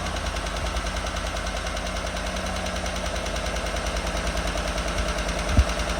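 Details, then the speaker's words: 2017 GMC Sierra with replacement 90,000-mile L83 5.3 V8, first start after swap and fresh oil change: light quick ticking about three per second over an even idle; owner hopes it clears once oil circulates, source unconfirmed. "I hear a little tick, but maybe whenever it gets circulated, it works itself out."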